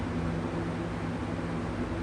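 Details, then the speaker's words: McGraw Edison Comfort Fan, a replacement "factory serviced" unit swapped in for one with vibration and humming (suspected misaligned motor shaft): steady low hum, smooth even air rush on high, no wobble or knocking, hub not bouncing; runs smoothly. "But this one's not vibrating like the other one was. Yeah, it's definitely very smooth."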